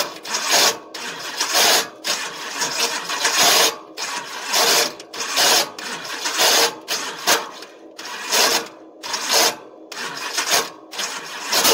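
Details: Old engine that sat a long time, on race fuel, cranking with harsh grinding bursts about every 1.5 seconds and never catching: the starter is chewing the stripped flex plate teeth, and the broken teeth have fallen into the inspection pan.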